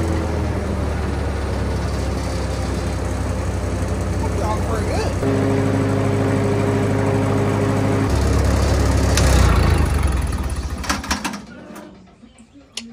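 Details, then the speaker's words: Lincoln SA200 welder engine on Ford F350 rig, after exhaust work: loud fast running with a steady mechanical whine for a few seconds before shutdown; owner suspects starter not retracting fully, cause unclear. "I don't know if you guys can hear it, but there's the starter's doing something. It sounds like it's not retracting all the way or something."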